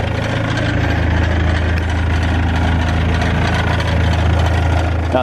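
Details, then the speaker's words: BMW 320d diesel before DPF downpipe catalytic converter replacement: steady diesel idle with a loose, uneven metallic rattle over the low thrum; rattle from the catalytic converter downpipe. "Okay then, so before we get started, let's actually go ahead and get this thing fired up just so you can hear the rattle that I am experiencing."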